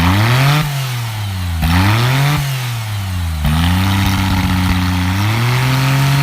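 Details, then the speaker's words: DeLorean with an upgraded V6 under full modern engine management and newly installed headers gives smooth revs that rise and fall with a deep, mellow exhaust note, civilized rather than raspy, with no misfire; it runs clean. "I thought they'd be quite raspy and loud, but they turned out to be quite civilized, and I'm very pleased with the sound they've produced."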